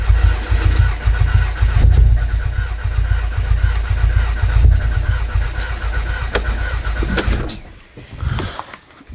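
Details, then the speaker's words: Stage 3 VW Golf R Mk7, sat for months, first start after fitting 980cc injectors and a new intake manifold. Slow, labouring starter churn that never fires; crank no start, owner suspects a flat battery or air in the fuel system. "the battery is flat it's gonna check that it doesn't look to know like fuel leaking might be the fact that there is an airlock as well or some air in the fueling system"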